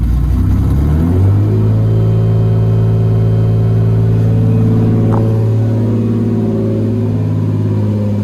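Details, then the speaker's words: 1995 Lexus SC300 first start after work, including a resonator fix: engine fires at once, flares, then settles to a smooth, steady idle with no knocking or stumbling; a little smoke, owner thinks things need to settle; normal start and idle. "well that answers our question she's happy yeah it's a little smoke there's probably stuff that's needs to settle in and stuff like that but she cranked right"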